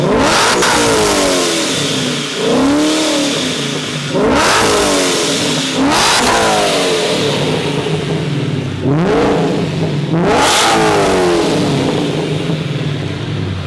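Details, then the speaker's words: Procharged Coyote V8 Mustang after installing Borla XR1 3-inch mufflers in place of a restrictive exhaust: deep, loud V8 rumble with sharp throttle blips every couple of seconds, revs falling back cleanly; healthy exhaust note. "oh, that's loud. Oh yeah, that's loud."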